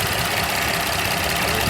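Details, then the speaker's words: Porsche Cayenne 3.6 L V6, 145,000 miles, after fixing multiple misfire caused by faulty ignition coil: steady, even idle hum with no stumble or skipped beats. "I will post the full diagnostic it's already running smooth clean everything out"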